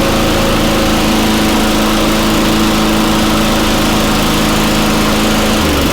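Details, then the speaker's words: Very old Craftsman Eager 1 mower with a Tecumseh engine after a choke-to-primer conversion; cable mechanism oiled, pull-started. An even, steady drone with no misses or knocks; sounds decent, though speed may be a little slow, possibly needing a tach check. "i could put a tack on there excuse me but it sounds pretty decent it might be a little slow"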